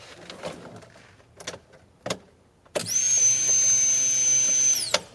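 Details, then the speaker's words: 1988 Honda CRX Si new fuel pump, out of the tank and rewired (ground goes to body), key in accessory position: faint clicks then a loud steady high whine for two seconds; pump now kicks on properly. "there we go so the pump kicked on no need to do it anymore we obviously could hear it it's loud just being in our face"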